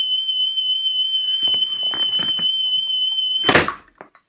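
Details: About 1978 National Panasonic RS-612 stereo cassette deck, playing a test tape after service and reassembly, output only on the right channel: clean, steady high tone near 3 kHz holds without wavering, then handling clatter; stable tape speed.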